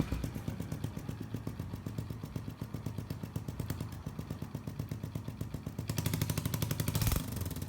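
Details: Honda Biz 125 that is smoking; the small single thumps along at a quick, uneven beat with a rough tapping clatter over it, abnormal engine noise, cause not evident.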